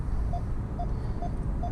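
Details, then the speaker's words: 2019 Nissan Altima with ProPILOT Assist at 100 km/h on Highway 401: four short mid-pitched hands-off-wheel warning beeps over road rumble, intensifying; if ignored, the car slows itself and pulses the brakes. "The more intense the beeps get, the more it wants you to do your thing. And now, if you don't put your hands back on the wheel, the car will slow itself down, and the brakes will pulse."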